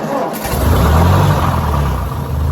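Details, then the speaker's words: 1958 Ford 871 Powermaster Select-O-Speed tractor after ignition parts work: a short crank, then the engine catches right away and settles into a steady low idle; a normal, healthy start. "Literally, as she was telling me that story, and I said, I think it'll work out, I pushed the button and it started right up."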